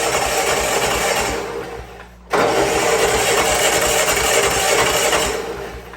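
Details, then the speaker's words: Old Bobcat 610 skid steer with Wisconsin engine, stuck valves freed, cranked with battery charger: starter cranks, sound drops briefly, then engine catches and runs on its own with busy even clatter; engine starting and running. "I don't know if you see that or not, but she's working on her own now."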